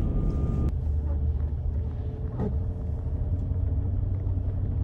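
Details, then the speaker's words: L322 Range Rover 4.4 TDV8 idling after a disconnected intercooler-to-plenum inlet hose was refitted; deep, steady rumble with no knocks or misses, a little smoky at idle from the left bank, owner suspects leftover fuel in system; normal idle. "she is a little bit Smokey at idle but um I think that's going to be the main cause of the issue that hose popping off"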